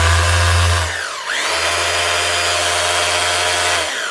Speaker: Yep, she's humming like new again. That'll keep us man running for another 14 years or so.